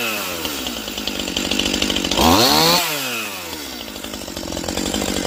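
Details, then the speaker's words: Stihl MS180C chainsaw, cold, previously bogging only when cold: after opening the low-speed screw about 1/8 turn, even idle then instant clean rev-up on trigger pull with no hesitation. "that's running perfect I mean it's not even warmed up and when you pull the trigger it accelerates instantly"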